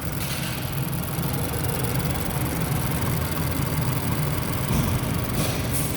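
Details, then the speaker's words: 2019 Ford Escape 1.5L EcoBoost after block replacement for cylinder 2 misfire (P0302) from coolant intrusion, cooling system bled and AC recharged: steady, even, smooth idle with no knocks, ticks or stumbles; normal. "had trouble getting the air out of it i had to charge the ac up real quick but she's running"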